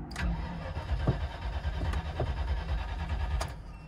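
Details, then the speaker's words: 1999 Land Rover Discovery II bought as a non-runner, battery believed very dead, second jump box added: four seconds of steady brisk cranking that never catches, service and transmission-fault lights blinking; crank, no start. "well that's a crank no start you still got all the blinking things there"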